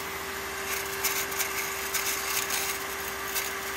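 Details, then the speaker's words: Grundfos CMBE booster pump, fairly new, running around 68 psi: steady hum with an irregular rattle and hiss over it, like something loose; owner suspects a bad bearing, not confirmed, and later dismantled the pump to fix it. "like a rattle going on in there like a loose something's loose maybe a bad bearing this isn't that old"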